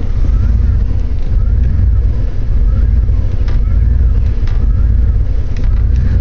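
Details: Jeep Grand Cherokee 5.9 V8 at idle: uneven, lumpy pulse with stumbling. It started the morning after the battery had to be jumped; the cause is not identified.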